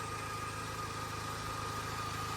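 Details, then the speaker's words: Pontiac at 146,000 miles, original starter failed and just replaced by first-timer; running again after repair. Smooth even idle, steady low hum with faint constant whine, no misses or knocks: normal idle. "Starter finally went out. Original starter. That's not bad. I mean, I'm a little dirty. I'm not that bad, but it's finally up and running again."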